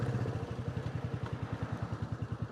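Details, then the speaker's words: Royal Enfield single-cylinder at idle after oil and filter change and tappet check during idle troubleshooting: even, steady thump about nine beats a second with no tapping or clatter; running fine, throttle stop screw left unadjusted. "you can hear, it's running fine. So much so I'm not even going to bother having a look at that throttle stop screw thing"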